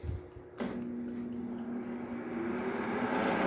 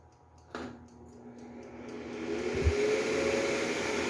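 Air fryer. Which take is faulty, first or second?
first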